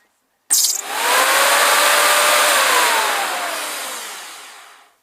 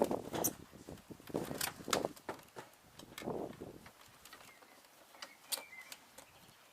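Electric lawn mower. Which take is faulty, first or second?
second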